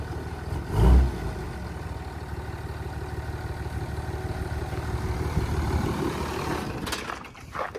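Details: Dodge 3rd-gen Cummins 24v diesel truck, not driven in about 3 years, just started before the paint shop: steady low clatter settling into an even idle, no knocks or misses; sounds healthy.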